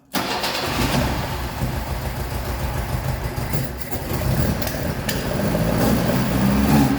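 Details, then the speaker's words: 1976 BMW 2002, Weber carbs, big camshaft, long-tube headers, ANSA exhaust, after 22 years, after fixing way-off points gap and checking dwell: fires instantly, steady even idle with slight rise in speed, runs pretty good. "out run pretty good it runs pretty good at least that's probably about as good as was going to get"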